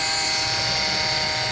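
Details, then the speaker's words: Honda Civic running at idle, loud noise at the front of the engine; steady high-pitched whirring hum with constant whine. Later traced by stethoscope to a worn belt tensioner bearing. "So malakas ang ingay. Atin siyang hanapin."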